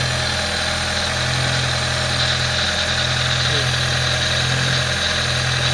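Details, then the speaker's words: 1998 Fiat Palio Fiasa engine running with alternator belt removed and no air filter: steady even idle, smooth low hum, louder intake noise, no chirp or knock; engine normal, ruling out camshaft. "Aí, pessoal, ó, pode ver aí que tá com barulho normal, beleza? Tá com esse barulho mais alto porque tá sem o filtro de ar ali, faz esse barulho aí."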